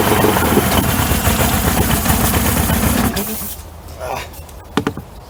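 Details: 1994 Suzuki 115 two-stroke outboard that had been sitting, run with water on after its four carb needles were checked: it catches, runs rough and uneven for about three seconds, then dies. Owner says it's definitely not getting fuel.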